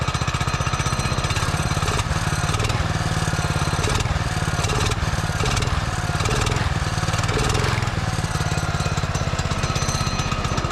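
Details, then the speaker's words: Barn-found Subaru Hyper Fox (Manco) go-kart single-cylinder engine, carb refitted, air filter assembly missing, on choke: steady, even thumping with no stumbles or knocks; running normally. "She's a runner."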